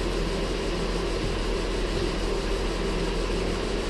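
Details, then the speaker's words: Ford Flex 3.5 just after first start following water pump and timing component replacement, belt noise diagnosed as coolant contamination, not yet at operating temperature; smooth even low hum, no ticks, knocks or stumbles; normal idle. "so far, so good. I'll let it get up to operating temperature."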